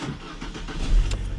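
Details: Alfa Romeo MiTo in winter cold with 5-year-old battery that intermittently cranked slow and weak; voltage dropped to about 10.9 V while cranking; this clip is quick, strong cranking with the engine catching promptly.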